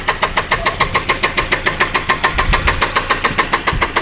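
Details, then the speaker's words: 2003 Saab 9-5, oil level within the lines, at idle: sharp, even knock about three and a half per second, steady throughout; knock had been growing louder, with reported occasional power loss while driving; cause not pinned down. "nd we heard that this knock started to get kind of loud, it just seemed to be increasing."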